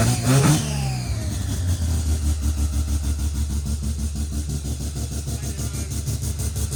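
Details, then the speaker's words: Naturally aspirated rotary (Wankel) engine: quick catch on start, a short rev, then a smooth, even, fast burbling idle with no knocks or misses; a healthy rotary running normally. "Wow. And it starts so well. Nice, eh? Beautiful. Yeah, if mine sounds like that, I'll be happy."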